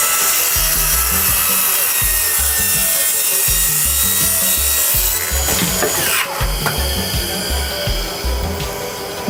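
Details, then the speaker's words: Cordless saw on a track cutting wood at full speed; steady high whine with rasping cut, speed holding without sagging under load, no blade slowdown, lots of torque; cutting normally. "to it feels good and i gotta tell you this is the thing no blade slow down at all a lot of torque"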